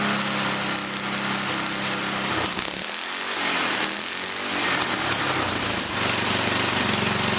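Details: 100-year-old Model T spark plug fitted to an old small single-cylinder engine, restarted: fast, even putter, drops out briefly, then restarts and settles back into a steady run; running normally.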